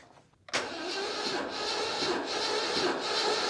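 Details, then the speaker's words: 1989 Citroën CX 2500 GTI, 400,000 km, compression test with ignition coil disconnected and throttle floored: slow, labored, uneven cranking with no firing; starter struggling, weak battery. "but if you listen carefully you'll notice that the starter motor has is struggling to spin the engine over even though it's only one piston that is actually got compression so the batter is weak"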